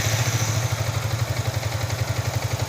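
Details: Yamaha R15 V3 after a fix that keeps the original ECU and adds fuel-pump control from the ignition switch: soft, even putter around fifteen beats a second, no clatter. Normal idle.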